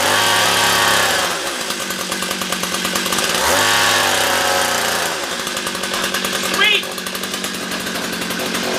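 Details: Ancient two-stroke ice auger after adjusting the low jet to stop it dying out: high, buzzy note holds steady and rises cleanly when revved without stalling; normal running.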